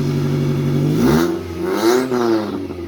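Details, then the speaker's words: Mitsubishi Lancer, first start after a DIY turbo install: fires and revs cleanly, then settles smoothly with no knocks, rattles or odd whistles; healthy, though a fitting weeps slightly. "And here we go. I hear good noises from that."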